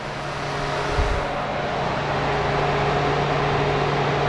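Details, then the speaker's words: GMC Sierra/Chevy Silverado newly installed dual electric cooling fans commanded on via scan tool diagnostics, engine off: fan one then fan two, steady rushing whoosh over low hum, no rattle or scrape; normal electric fan operation. "fan two oh you can definitely hear it now"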